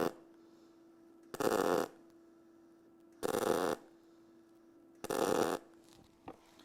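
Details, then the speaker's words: Eastwood mp200i multi-process welder MIG spot welding with short timer under half a second: three crisp crackling buzz bursts about two seconds apart over a quiet hum, showing how quick each spot weld is; normal spot welds. "you can hear the difference in the in the how quick the spot load was"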